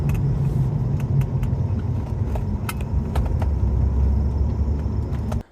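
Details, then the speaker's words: Alfa Romeo 156 V6 test drive after repairing a lost-drive fault that followed a passenger front wheel bearing job; smooth, even road rumble with no clicking or grinding, car fully repaired and brakes straight. "so there we go guys a another car completely repaired"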